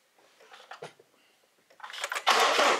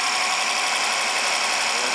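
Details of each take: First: 2014 BMW 650i N63 V8 with failed/jumped cam timing and timing codes, possibly weak battery; brief crank then harsh uneven rough idle, raw fuel smell, no knocking or mechanical noise; rough running from jumped timing. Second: 2014 BMW 650 with N63 engine after timing repair and two new injectors, first start: steady, even idle with a smooth mechanical hiss and no knocks, ticks or misses; normal idle.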